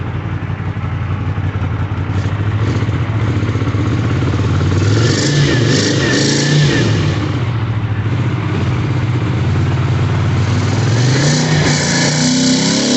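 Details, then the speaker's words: Twin on first run after kit and cleaning: idles well, but revving brings uneven spitting, sputtering and popping over the twin's drone; owner suspects lean popping, cause unconfirmed. "Alright, it's idling and running good. And then I tried to give it some more gas and rev her up, and started spitting and sputter, lean popping, I thought."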